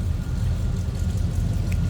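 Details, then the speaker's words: 1983 Chevrolet Silverado K10 4x4 small-block Chevy V8 idling after a cold start, heard from behind the truck: deep, even exhaust rumble with steady beat, no skips or ticks; normal healthy idle. "you get a good idea little Rumble coming out of that small block shaft nothing crazy just a good sounding engine"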